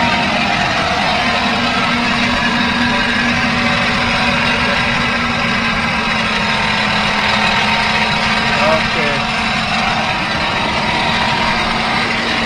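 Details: Camper van engine idling: steady mid-pitched hum over a rough, fluttery rumble, apparently from the front of the engine with a distinct odour; owner suspects a bad bearing burning grease and belts, cause unconfirmed.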